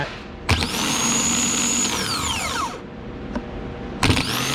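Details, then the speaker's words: Starter for a 2009 Mercury Milan/Ford Fusion 3.0L, bench-tested before installation: a sharp engage clunk, then a high smooth whine that winds down evenly, repeated. The starter spins freely and works normally. "Usually do it 3 times. This starter appears to be working good."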